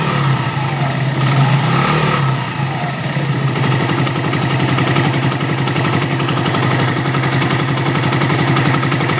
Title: mash 75 bruit moteur